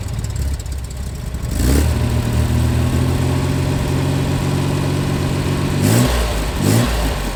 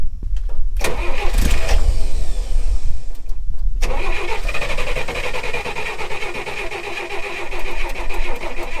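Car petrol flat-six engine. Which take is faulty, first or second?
second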